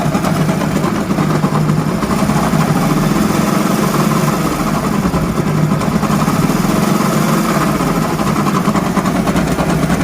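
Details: Hero Honda motorcycle idling: steady, busy mechanical rattle under the exhaust beat; worn crankshaft bearing noise.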